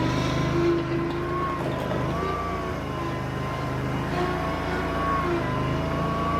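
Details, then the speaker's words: Bobcat Predator Pro zero-turn with Generac engine, complaint of bogging in tall grass; driving full forward at wide-open throttle: full-throttle drone dips briefly under load, then recovers to an even pitch; normal governor response. "Um, so what I was trying to show you guys as I went down the driveway and turned around, I went wide open throttle and I was trying to give it a load."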